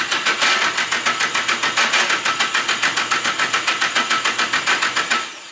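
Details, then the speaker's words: SR engine on first start attempts after a long rebuild, cranking at 5-10% throttle: a rapid, even starter chug that never catches; spark is good and fuel reaches the injectors, but the injectors aren't firing. "Spark is good. We're getting gas to the injectors, but the injectors just don't want to splooge."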